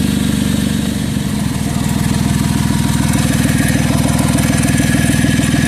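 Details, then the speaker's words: Chevy Traverse on remote start, idling: loud raspy even chuffing about four pulses a second from an exhaust leak where the exhaust bracket snapped at its weld, leaving a hole; owner plans to weld it. "bracket has broken, and therefore it's making all that noise."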